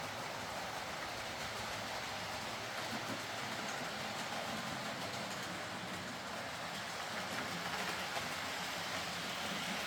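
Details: Hornby R.372 Class A4 "Seagull" model locomotive, tender drive, running after repair: soft, even whirring hiss with light rail clicks, no stutter or grinding. Stop-start running was likely from excess axle oil spoiling electrical pickup. Runs fine and quiet.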